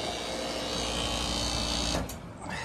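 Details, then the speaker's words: Ruud Rheem split AC system not cooling, commercial building, outdoor condenser had tripped: steady harsh whir with a low hum then cuts out; sounds rough before coil cleaning, cause not yet pinned down. "I don't like the sound of it but let's see what happens"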